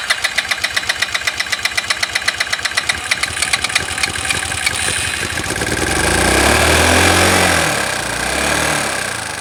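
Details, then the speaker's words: Znen small engine idling roughly with sharp popping about four a second and uneven surging revs. Idle improves with the vacuum left exposed but still punches; covering the EGR makes it die out, with a fuel leak. Cause suspected, not confirmed. "by leaving the vacuum exposed i get a better idle i do still get and you can hear it punching with that move so that's got to go"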